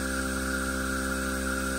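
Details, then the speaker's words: Metal Tesla turbine in a low-pressure test with the throttle and nozzle untouched. It smooths out and keeps climbing from about 2,000 to 4,000 rpm as vacuum builds, with steady even tones and a smooth airy hiss. Normal running. "it just smoothed out yeah it's still climbing it's still climbing the same same throttle we haven't turned it up 4 000 rpm"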